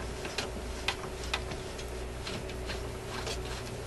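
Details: Electrohome Century console stereo receiver, tuning dial hand-turned after earlier stickiness from dried-out lubricant: a few light uneven clicks and soft ticks, no drag or catching; tuning mechanism moves freely.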